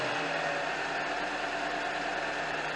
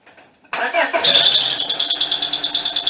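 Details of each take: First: 2001 Honda Accord four-cylinder with an obnoxious belt squeal; after tightening the alternator belt tensioner (other bolts still loose, worn belt), quiet even idle hum with no squeal or chirp; normal idle. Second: 2001 Honda Accord four-cylinder: loud, steady high-pitched squeal over the idle from startup; belt is tight, the alternator bearing or the belt itself is suspected, not the timing belt.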